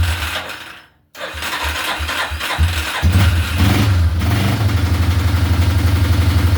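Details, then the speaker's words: 1987/88 Yamaha Warrior 350 single-cylinder on choke, first start with new fuel line and fresh oil: cranks, stumbles, then catches into steady even thump with no valve tick; some oil smoke burning off — normal idle. "Fire right up. That sounds really good. Hell yeah. Wow. Sounds really good. No valve tick."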